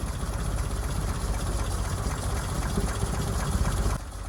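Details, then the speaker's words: 1977 Land Rover Series III 88" engine revved: rough uneven running with popping backfire as it stumbles, from fuel starvation by a carburettor clogged with dirt, likely from the recently replaced fuel tank. "So we can hear there's a bit of a backfire. Anyway, we're going to investigate. Hopefully it's not a blown head gasket."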